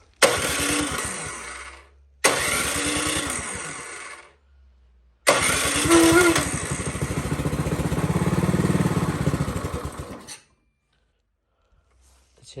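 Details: Powersmart snow blower that won't start, before ultrasonic carburetor cleaning: three starter bursts, each a steady chug about four beats a second dying away without firing; cranks but won't start. Cause suspected, not confirmed.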